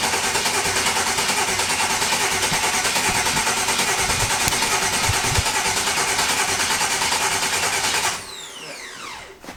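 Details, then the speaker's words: Rebuilt turbo engine with fresh oil and coolant, cranked with no ECU to build oil pressure: even steady starter whir about eight seconds, no catching or clatter; normal cranking, 27 psi oil pressure. "sounds healthy i had 27 pounds"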